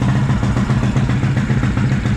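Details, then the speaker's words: 2004 Suzuki LTZ250 single-cylinder quad after unplugging a blocked carburettor vent that was starving it, throttle adjustment set very high, still smoking heavily: steady, unbroken pops at fast idle, no stumbling; normal fast idle. "That was starving the carburetor. I don't know why he had that vent plugged off. Now it sounds good. Again, the throttle adjustment is really high on this."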